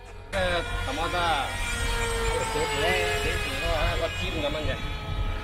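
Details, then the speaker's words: Sonicmodell Mini Skyhunter V2 RC plane in flight: steady high motor whine with a gritty, wavering edge, not a clean tone. Sounds rough; owner suspects sand stuck in the motor. "That sounds like very rough. Maybe there's some sand stuck in the motor."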